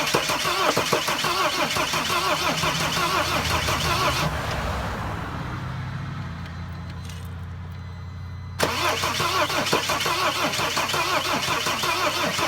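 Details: Mercedes Sprinter van, cranked with starting fluid in the intake; uneven rough cranking that quiets partway, then resumes without catching. Crank no start; crankshaft position sensor suspected.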